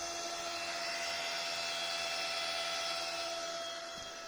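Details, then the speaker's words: Volvo 240GLE turbo LS2 project, three fuel pumps (intake pump plus two-stage main pump) run directly on 12 volts to pressurize rails, about 63 pressure, regulator not yet set, small drip: steady high-pitched multi-tone electric whine, noisy but normal. "certainly noisy but i don't imagine i'll hear that over the engine"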